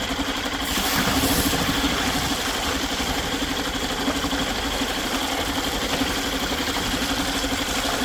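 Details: Yamaha 2.5 hp four-stroke outboard after carburetor replacement and fresh oil change: steady idle with even, slightly buzzy beat, no knocks or misses; normal idle.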